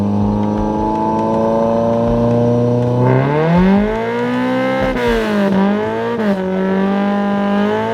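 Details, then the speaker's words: Toyota Corolla revving while racing after a clutch pedal adjustment, engagement right at the top of the pedal, clutch master adjustment suspected; on throttle the note jumps sharply and hangs high without pulling through; clutch slipping under acceleration. "Definitely you could hear it slipping then, so whatever I did, definitely got to switch it back and try to figure out where this thing likes to be happy at, because it's definitely slipping hard as soon as I rev it. Yeah, as soon as I rev it, it slips."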